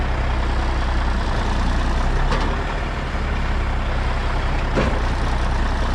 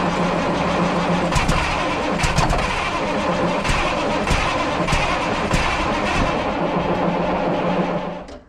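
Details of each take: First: 1994 International 9600 cabover, N14 Cummins diesel, 561,000 miles: after unplugging the low-coolant shutdown sensor, steady, deep, even idle rumble with faint occasional hiss while building air pressure; healthy. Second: 1994 International 9600 cabover, N14 Cummins diesel, 561,000 miles, fresh batteries after sitting non-running: fires and runs steadily about eight seconds then dies abruptly; oil and water light blinking.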